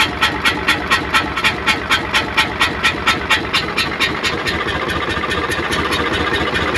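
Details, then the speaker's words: Hino Euro truck diesel at idle: steady chuff-chuff puffing about twice a second, fading later; mechanic suspects dirt on the valve seats letting them leak. Exhaust chuffing from leaking valve seats. "हमने इसमें आवाज आ रही है छुप-छुप की तो अग्रवाल सीटों में कचरा हुआ नॉर्मल"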